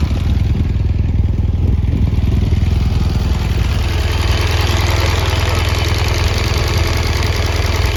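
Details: 2017 BMW R1200GS Rallye, 29,000 km, dealer-serviced, totally cold engine idling: fast sharp ticking over low beat from both cylinders; owner unsure if compressor or rocker arms.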